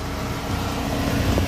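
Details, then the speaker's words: VW Fox after repair of creaking when turning the steering, caused by worn ball joints (pivôs): only low even rumble, no creak or knock; some play and a leak remain in the steering box. "Não tem mais barulho. Agora o que tem? Tem uma folga aqui, que aí tem um problema na caixa, de fato tem um vazamento. Mas aí o problema tá eliminado."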